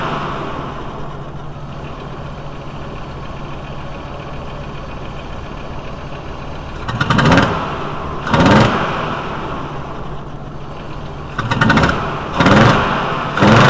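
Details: VW T4 2.5L with intermittent rough running when cold, smelling rich: uneven idle with irregular heavier lumps; cylinder one wet, intake valve suspected staying open, later found to be a broken cylinder one intake valve spring.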